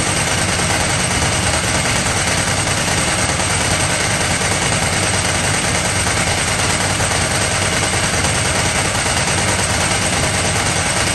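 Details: Ducati 998 Testastretta V-twin running after inspection service: busy, loud, even dry clutch rattling at steady speed with no change in pace; engine healthy.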